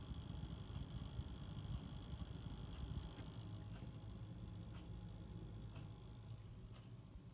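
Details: NZXT Kraken X62 cooler: faint whirring fan with a soft tick about once a second in a quiet room, only between 35% and 60% fan speed; fan ticking at mid speed.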